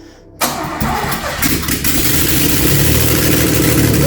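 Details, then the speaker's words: DeLorean after an engine swap, first start with oil but no exhaust or coolant fitted. A short crank, then it catches on the first turn and settles into a loud, raw, unmuffled idle that builds steadily: normal engine start. "being happy yeah one of them yeah right maybe we should put the exhaust on now then and then we can maybe run it a bit longer"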